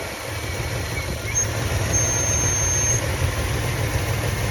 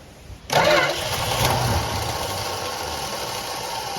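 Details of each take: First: 1966 Plymouth Fury III Poly 318 V8 after a new coil and spark plug, distributor cap and carburetor work catches and settles into an even, steady low-rumble idle with no misfire. A dirty fuel filter and a fuel leak were noted. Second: 1966 Plymouth Fury III Poly 318 after carburetor replacement: steady starter cranking, engine turns over evenly but doesn't fire, fuel only just reaching the fuel filter; cranking no start, no fuel.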